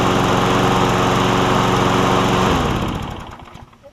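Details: Craftsman self-propelled push mower, a trade-in after its broken handle was replaced: runs at a steady even buzz a couple of seconds, then shut off and coasts down; healthy engine.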